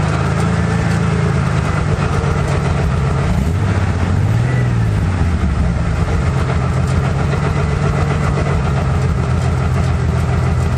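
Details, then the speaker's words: 1995 Ford F-150 with 4.9 L inline six and a remnant dual Magnaflow exhaust: loud, deep, lumpy idle with uneven throb and a small rev bump midway; running pretty rough, cause unclear. "and uh we'll fire it up let you hear this thing later but it's pretty rough"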